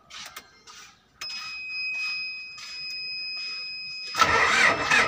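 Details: Diesel engine: uneven cranking lasting seconds before catching with a rough burst; hard starting, long cranking, cause suspected, not confirmed.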